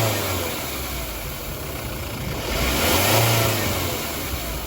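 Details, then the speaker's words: Sorento, revved: light hiss with faint whistle rising over engine; boost leaking through a hole in the rubber intercooler outlet hose (left side), whistle also appears while driving; boost leak from split intercooler hose. "Слышите? Шипение. Во время движения еще и свист появляется."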